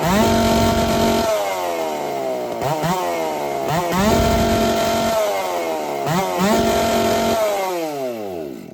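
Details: Ported Dolmar 7900 chainsaw, 82cc-class build with a big muffler, first test run after earlier carb issues: revs in several bursts with the pitch sagging and wavering between them; runs decently but erratically, owner suspects a lot of bleed.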